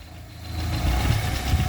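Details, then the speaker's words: Chevrolet Vectra, skid plate dented over a speed bump pushing against engine: loose buzzing knock underneath grows as revs climb with each throttle blip. "eu passei numa lombada ó e o protetor de carter quase afundou o parafuso aqui ó aí toda vez que acelera ele fica batendo aqui trepidando aqui"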